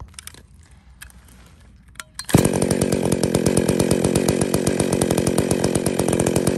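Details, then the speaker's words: Chainsaw with centrifugal clutch, tachometer held on it while the idle screw is turned in: starts and settles into a fast, rattly idle as the chain creeps round; clutch engages at about 2,500 rpm (idle speed) instead of 3,500 rpm. "so in fact actually it's basically just started to engage at two and a half thousand which is where it should be idling where the idle should be set"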